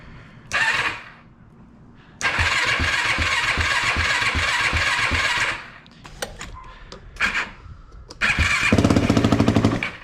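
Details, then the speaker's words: Yamaha YFZ450 after top-end rebuild, electric start with clutch held in: starter spins briskly, then single catches into quick even putter; no-start problem was just a small switch that came off; normal electric start. "So okay, that is good. Okay, we figured out our problem now, guys. It was simple. It was just this little switch that came off."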